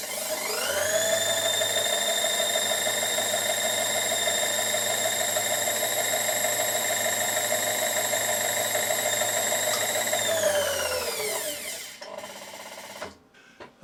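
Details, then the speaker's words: Asong AS235 milling-table power feed, motor bolted back on after reset switch replacement, armature carbon cleaning and gear adjustment: clean steady whine and smooth coast-down, slight backlash, no gear grinding; normal gear mesh. "There we go a bit of backlash but not much and there's no noise coming from it so it says that the gears are not grating onto each other"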